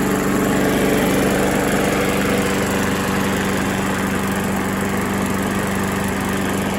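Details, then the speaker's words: Briggs engine that had been seized, now freed and treated with engine restore: small single-cylinder running with a steady, even putter at constant speed, no rod knock or rattling; engine sounds healthy, seizure possibly from running low on oil (suspected). "so that's not bad sounds good doesn't sound like there's any rod knock or anything so i think the motor is fine"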